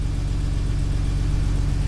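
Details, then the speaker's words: E46 M3 after revised tune fixed limp mode and idling problems, no service engine light or codes, warming up: steady even low idle with smooth regular firing pulse, no misses. Normal idle after fix. "we have a working car no more idling problems"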